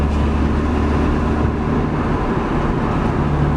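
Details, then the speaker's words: Honda Civic driving with damaged muffler patched using Flex Tape and Flex Seal, warming up: steady, even low exhaust drone with no rasp or leak puffing, sounding sealed and normal; the repair later failed to hold. "I mean it sounds good though like to be honest it sounds normal yeah it's only loud what it needs to be"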